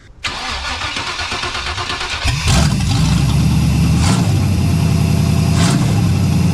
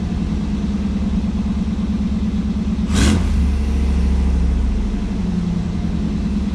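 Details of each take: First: 1989 Pontiac Firebird Formula V8, first startup after header install with open headers and no exhaust attached, mic beside the car: starter whir, then loud raw crackling idle with sharp blips. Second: 1989 Firebird Formula, tired 350 V8 with new headers, air cleaner off, warming up in freezing weather, condensation in pipes: deep, even exhaust rumble and clean throttle blip; normal running.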